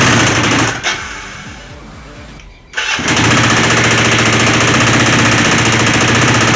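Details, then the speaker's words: Long-dormant twin motorcycle after cleaned tank, cleaned carburetors, new fuel line and tee, new tank valve seals and new ignition switch: catches after a stumble, then idles with a harsh regular metallic rattle about four times a second; source unknown. "It runs, starts, idles, and sounds like absolute junk. Yeah, it's got a bad rattle in it. Don't know what it is."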